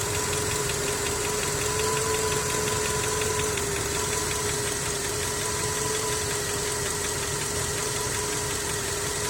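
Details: Skoda 1.6 BSF at noisy idle: light, quick metallic ticking running steadily; engine knock whose source needs further checking.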